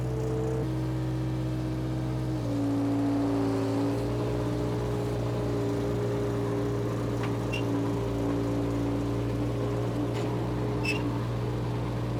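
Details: Power Trac 1850 diesel tractor after fluid change, mower engaged: steady diesel drone holding even pitch after one small step down, no knocks or misses; normal running under load.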